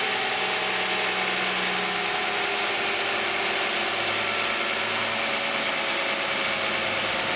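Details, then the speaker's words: 2010 Toyota Camry 3.5 V6, 93,000 miles, Pennzoil Ultra 5W-30 synthetic with a Wix filter, cold start: smooth, steady idle with an even hum and a faint hiss, no ticks or knocks; normal cold start idle. "This is going to be the cold start and running of a 2010 Toyota Camry V6 with 93,000 miles, running 5W-30 synthetic Pennzoil Ultra with a Wix Ultra filter, and we're going to see what it sounds like."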